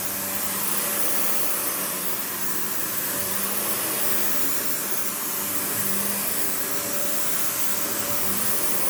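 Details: Panasonic upright vacuum, one of the last sold in the US market, with bare-floor switch, low-mounted power switch, auto height adjustment and brush roll that stops when upright: steady even motor whoosh, constant tone, no rattles or surging; normal running.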